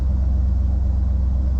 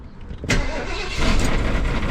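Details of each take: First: Barn-find 1973 Ford LTD V8 after new exhaust with Speedy 10 mufflers, heard from inside the cabin: deep, steady burble, even and smooth, no rattles or blowing, not too loud; healthy idle. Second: Barn-find 1973 Ford LTD before its exhaust was replaced with Speedy 10 mufflers: the V8 catches and settles into a loud, raspy, uneven idle with a blatting note; the old exhaust is worn and leaking badly.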